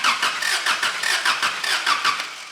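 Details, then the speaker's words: 1985 Daihatsu Rocky 2.0L petrol with points ignition, original coil: quick even cranking at about five pulses a second with no firing; cranks but no spark, so it won't start. "and that is dead as a daughter so we have no spark um right let's start diagnosing that"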